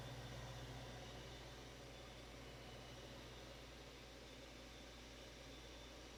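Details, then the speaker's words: 1990s Capehart 40-pint dehumidifier after deep coil cleaning with Nu-Brite, compressor running: low steady hum with faint even pulse, nothing rattling or knocking, very quiet; compressor running normally. "this thing this thing is quiet very quiet i don't have to turn the tv up loud to try to hear it while that thing is running"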